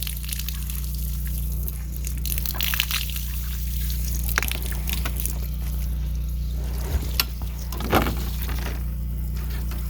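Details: Newly run water line to a 100-year-old barn from an off-grid home, air bled at the farthest frost-proof hydrant; steady splashing trickle over constant low drone, water draining from the pipe: normal water flow.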